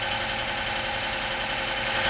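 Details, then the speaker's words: Petrol engine idling after a recent tune-up, with a faint airy hiss from a slight vacuum leak. A missing blue EGR O-ring is suspected; brake cleaner sprayed at the rear changed the idle, confirming a leak there. "Oh, I do hear a little slight vacuum leak."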